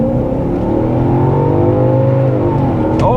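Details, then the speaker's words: BMW X5 4.6is, ZF 5HP24 automatic, after a slipping-transmission repair, full-throttle launch in sport mode: the engine climbs steadily and revs drop cleanly at the upshift with no flare or slip; the fix worked. "it shifted nicely and that's fast enough"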